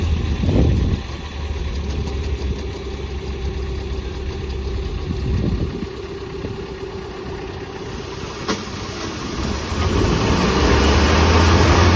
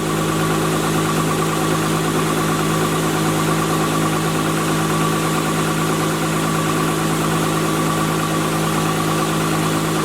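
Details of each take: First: Spartan Urban Warrior hydro jetter truck at idle during its first service. Steady pulsing throb instead of a smooth run: the pump pushes an estimated 3–4 gpm at idle through a ripped, kinked, leaking quarter-inch supply hose that passes only about 1–1.5 gpm. Parts ordered. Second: Spartan Urban Warrior hydro jetter, water on, raised to about 2200 RPM. Steady even drone with the pump humming, no surging, knocks or leaks heard up top. Normal running.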